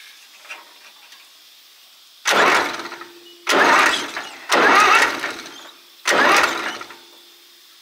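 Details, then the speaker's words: Zetor 4911 diesel tractor, parked since 1986, four cranking bursts with strong, even compression chug but no start; pushrods returning, owner suspects valves out of adjustment. "oh I would say they're all returning because when you spin it with the starter it sounds like it's got plenty of compression"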